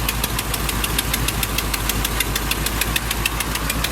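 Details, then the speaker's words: Cutlass V8 idling while warming up on a cold day in the 30s °F, with sharp rapid ticking from an exhaust header leak at the back. It is less bad than before. "all right got still here man it ain't as bad as it was but you can hear it right back there in the back with that boat we called the gasket the gas today"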